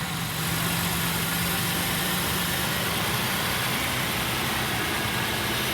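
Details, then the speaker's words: Rolls-Royce Phantom with the hood open: smooth, even idle with a steady low hum and intake rush, no misses or knocks; now running perfectly after a component found not plugged in correctly was reconnected, no parts replaced. "So now it's running perfect. It just wasn't plugged in correct."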